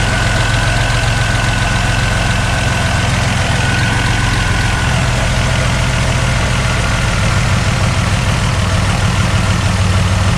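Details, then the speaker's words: Barn-find Buick Regal Turbo after new plugs, wires, in-tank fuel pump and fuel filter: uneven lumpy idle with steady low rumble from a persistent misfire; one cylinder identified by infrared thermometer on the header tubes. "so that starts up and runs still got a little bit of a misfire i'm going to show you guys how to diagnose with a infrared thermometer"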